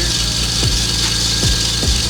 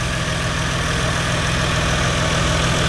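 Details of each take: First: Lexus GS300 2JZ-GTE VVTi turbo at idle: loud steady high-pitched squeal from a glazed serpentine belt slipping on its pulleys, before fitting a new belt. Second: Lexus GS300 2JZ-GTE VVTi turbo at idle after a new Gates FleetRunner serpentine belt was installed; smooth, even idle with a steady low rumble and no belt squeal or chirp; engine sounds healthy.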